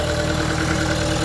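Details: 2013 Vermeer SC602 stump grinder, rebuilt Cat 2.2 L 3024C diesel with rebuilt injection pump, 1,040 hours on meter, under an hour since rebuild: steady, even idle with smooth low throb, no knocks, misses or rattles; healthy.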